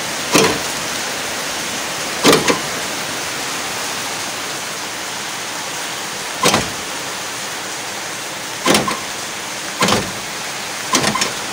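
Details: Car alarm central locking after replacing the faulty driver's-door lock actuator motor: six crisp, quick lock-motor clunks a couple of seconds apart; the actuator now locks properly.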